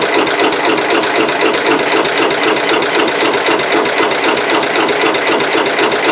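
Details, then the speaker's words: Cub Cadet 108 cold start, with starting fluid sprayed in the carburetor: a rapid, even rattling crank at about four beats a second with no firing. Owner suspects the points need cleaning for better spark; cranks but won't start. "all right y'all that's not gonna work so we're gonna have to get down in there and get the points get them clean and uh see if we can't uh get a little better spark"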